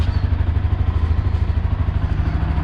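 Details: Motorcycle after fixing a rattling licence plate: even, rapid low pulsing with no rattle or buzz over the top, plate noise gone when revved; runs cleanly, nothing loose.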